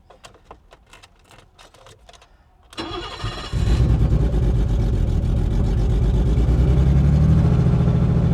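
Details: 1984 BMW 633 CSi with half a tank of gasoline cranks slowly for nearly three seconds, catches and settles into rough uneven idle but won't stay running; hard start, cause unclear.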